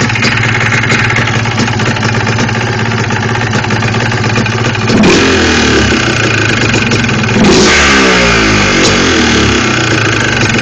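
A two-stroke quad idles with a loose, rattling knock, then revs twice; the clatter suggests piston slap. Cause suspected, not confirmed.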